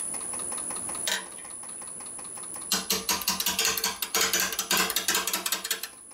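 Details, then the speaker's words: Bone-dry maple burl bowl blank on a lathe: quiet spin, then sharp irregular chattering about three a second as the tool catches the uneven corner and kicks; turner eases the tool in slowly. "couldn't listen couldn't listen that's White's it's once a kick slightly and say back knees the speed up just a little bit fast"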